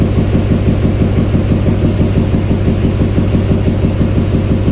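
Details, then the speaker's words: 2007 Chevy Silverado 2500HD 6.6 Duramax LMM misfire, injector kill test at idle: deep diesel idle with a lumpy, slightly uneven pulse around two per second; killing injector 7 makes little difference, so cylinder 7 is weak. "It's number 7 because the 7 hardly makes any difference."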